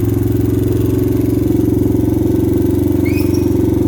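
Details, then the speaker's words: 2000 Honda XR100 with a blown top end and low compression, started ice cold on the kickstarter: uneven single-cylinder idle with a light, steady metallic clatter on each firing beat, and a little smoky. Piston slap. "As you can hear, it has a little bit of piston flap, and yeah, it's a little smoky."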